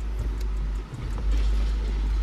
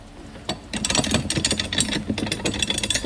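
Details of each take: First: 2003 Cadillac CTS shifter after budget repair with zip ties and rubber hose for a clunking noise: smooth low engine rumble with no clunks or rattles as the lever moves; shifter now operates quietly, temporary fix. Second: 2003 Cadillac CTS: loose metal-on-metal clunks and rattles each time the gear shifter is moved, from a worn shifter linkage bushing.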